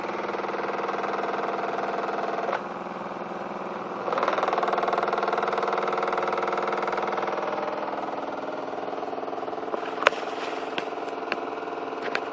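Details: New Miele washing machine from about 2014 body design, on a non-concrete floor with 1.6 kg dry laundry; noise began 2–3 weeks after purchase: steady drum hum, rumble pulsing about four times a second, sharp rattles; uploader suspects weak plastic connectors; excessive spin vibration and noise.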